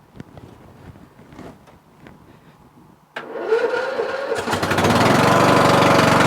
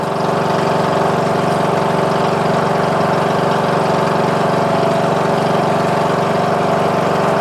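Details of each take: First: Murray Select 14.5HP 42" widebody lawn tractor with a weak battery (charged overnight) and high compression, hard to start: quiet, then a short dragging crank for about a second before the engine catches and runs up. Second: Murray Select 14.5HP 42" lawn tractor after starter motor and stator replacement, with headlights disconnected, charging at 13.5 volts: smooth, steady single-cylinder drone at constant speed with no stumbles or knocks; normal running.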